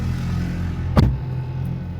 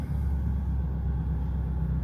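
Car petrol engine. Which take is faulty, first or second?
second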